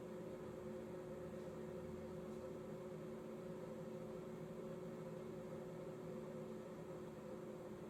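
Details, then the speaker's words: 2019 Thor ACE 30.2 RV microwave after repairing the ATS box, whose loose screws had burned and melted connections and cut 110 V power: quiet steady hum and fan rush, no buzzing, crackle or cutting out; converter running; normal. "Microwave is on. Looks like we are all set. I hear the converter going, so we are back in business."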